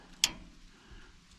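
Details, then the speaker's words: Sawmill door interlock switch, which had been giving problems, clicking: a single sharp click then quiet; the door wouldn't quite close and the switch had to be pushed in with a stick. "Well, here's the sensor, or the little switch, that was giving me problems. You can hear it click."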